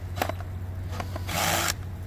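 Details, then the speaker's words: Drill tightening pipe clamps on a Zoeller M98 sump pump: a few clicks, then a short rough ratcheting burst as the safety torque clutch slips on the fully tight clamp, as designed. "hear that clutch going that means it's really as tight as it can go"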